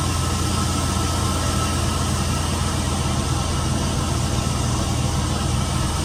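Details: Chevy van with 4.8 V8 after water pump replacement and coolant refill: steady, even low rumble with no knocks, misses or speed hunting; idles smoothly and sounds healthy.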